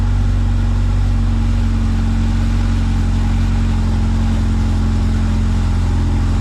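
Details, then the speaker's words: Honda CRX with freshly rebuilt zero-mile B20Z swap, first start, new NGK iridium plugs, no cooling system fitted: smooth, steady idle just under 1000 rpm, deep even hum, no ticks, misses or knocks, no exhaust smoke; healthy. "oh damn right away zero mile rebuild b20z wow it sounds good it sounds really good"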